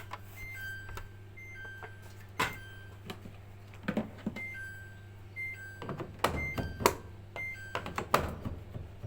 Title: Samsung auto dispenser making beeping sound/Dispenser not well locked